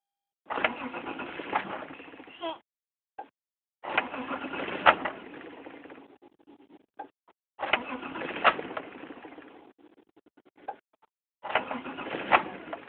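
Three long cranking bursts of about two seconds each, the starter turns steadily but the engine never catches: crank, no start.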